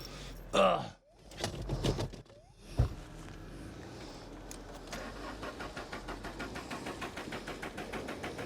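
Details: VW Corrado G60 barn find with a modified engine, sat unused, on a jump battery pack: steady starter churning but the engine never catches. Crank, no start; no spark was found afterwards.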